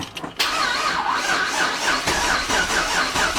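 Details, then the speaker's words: 1999 Holden R8 Clubsport, Gen III LS1 V8, just rebuilt after a cam swap: fuel pump fuse pulled, cranking to build oil pressure before first start; quick, even cranking with no cylinders firing, oil light goes out. "Okay, so now I think we'll just crank her over and make sure the oil light goes out, make sure it cranks."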